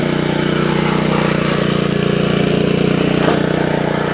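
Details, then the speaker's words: Honda Lawnflight 553 HRS Pro mower, Honda GCV160 engine, at full throttle, warming up after gearbox rebuild: steady pulsing beat with a light rattle on top; owner thinks it's just the grass flap. "It's got a bit of a rattle to it. And I think it's just the um I think it's just literally the uh um grass flap."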